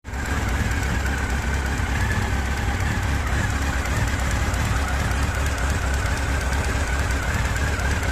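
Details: Honda CB1300 inline-four idling: fast, light knock on the left side, absent when cold, appearing after about 30 seconds; owner will check cam timing and valve clearances, wonders about the oil pump chain; cause unconfirmed.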